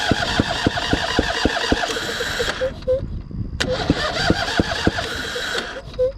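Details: John Deere Z245 zero-turn mower, just refuelled after tank was empty, oil checked free of gas: two bursts of steady starter cranking, three or four turns a second, no catch or firing; cranks but won't start.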